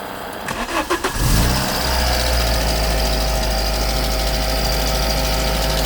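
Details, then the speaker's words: VW Mk2 Polo bread van with swapped Mk3 Polo/Lupo twin-cam AFH engine, 1.4 or possibly 1.6, fed by a temporary oil-pump fuel supply: catches after a few cranks, fast uneven ticking over idle, louder than normal; cause not yet found. "stays running and also I need to get a better pump um the ticking is bad I'm going to have to delve into this"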